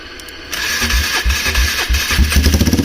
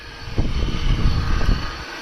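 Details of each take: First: Polaris Trail Boss 330 quad with no airbox, running with the choke partly on after dying when the choke was turned off: a steady, slightly lumpy single-cylinder run with popping and puffing from the exhaust. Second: Polaris Trail Boss 330 quad, jump-started with a little starting fluid sprayed in the carb at wide-open throttle: a deep, ragged burst of firing for about a second, then it dies.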